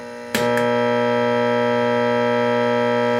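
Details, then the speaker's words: Late-1965 Gibson Epiphone EA-32RVT Comet amp, volume and reverb at 10: a switch click, then loud steady buzzing hum and drone when the reverb is switched on, from poor grounding, not the loose wires. "so listen to the amount of noise I mean just sheer noise that's being generated and this has nothing to do with these loose wires"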